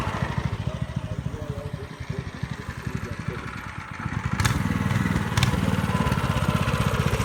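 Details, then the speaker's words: Baja minibike small single-cylinder engine after carb cleaning, fresh gas, choke on: quick even popping about four beats a second, picking up briefly, steady, no weird noises, clutch works; fuel issue still pending; normal running. "but motor sounds good not doesn't slow for anything and uh no weird nois this clutch works so it'll definitely be ridable"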